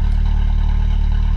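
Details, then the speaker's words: 1997 VW Golf Estate Joker Edition, stock exhaust, idling: steady low rumble with soft even puffing pulse; owner unsure whether it is an exhaust leak. "it's actually got like a decent little sound to it whether it's an exhaust leak i don't know but for stock i mean not a horrible sound"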